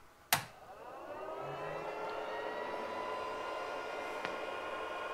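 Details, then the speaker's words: Twotrees SK-1 CoreXY 3D printer (MKS Skipper-type board) at idle: a click, then the fans spin up to a steady airy hum with a constant high whine. The owner finds it noisy. Cooling fans run full-time. "un peu bruyant et c'est ce qu'on va essayer d'arranger dans cette vidéo"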